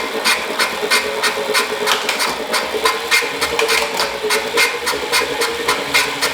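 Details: Wahoo Kickr Core bike trainer, about 2,500 miles, side view: loud rhythmic clicking grind about 3.5 per second over steady whirr, started suddenly without warning; bad bearing suspected.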